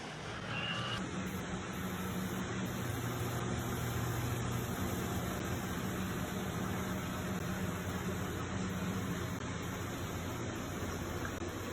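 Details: Comfee 0.9 cu.ft portable washer (CLV09N1AMG) with a pretty big load, base slot slid under but left unscrewed: steady, even hum with no knocks, scrapes or rhythmic thumps; running normally so far.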